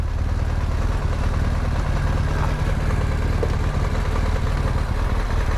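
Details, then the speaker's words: Yamaha MT-07 twin with one cylinder not firing and flooded with fuel, also suspected in the intake: lumpy, uneven idle with a lopsided beat that stumbles irregularly. It later backfired through the intake and kept spitting fuel. "So Jake's bike has a cylinder that's not firing, and it loaded up with fuel."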